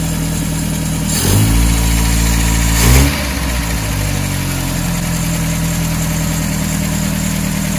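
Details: 1978 MGB carbureted four after carburetor rebuild (previously dribbling fuel from carburetor bottom): steady idle with two quick throttle blips settling cleanly back to smooth regular idle; starts every time, idle fine, healthy.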